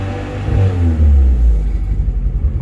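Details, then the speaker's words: 1997 Eagle Talon 420A non-turbo: blips then stumbles and sputters when throttle snaps open, less when opened slowly; misfire. "When I hit it, you can hear it misfiring."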